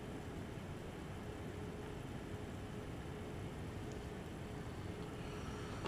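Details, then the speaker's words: Eight-year-old MSI Radeon HD 7970 Twin Frozr III after replacing its dead and failing 75mm fans, heard on board start from two feet away: steady, even airy whoosh, faint hum, both fans starting uniformly and spinning smoothly. "now for me sitting two feet in front of it that was a very uniform start for both of the fans"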